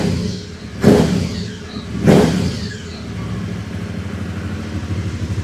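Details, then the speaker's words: Aprilia Caponord 1200 Rally with K&N filter, original uncut airbox sleeve restored and aftermarket exhaust: two sharp throttle blips with a deep, clean intake roar, then a steady lumpy idle, much quieter than with the cut airbox. "ah ouais ouais c'est mieux je vais pas non plus mettre le pot d'origine on va pas exagérer on va rester comme ça"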